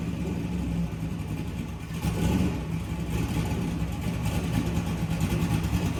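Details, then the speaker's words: LS V8 on a run stand, cold start: sharp rev blip with a few faint crackles and pops; accelerator enrichment off while cold, tune to be corrected after truck install. "you can tell the accelerator enrichment um it's a little off when it's a little cold there so when I was first revving it it was kind of popping and stuff"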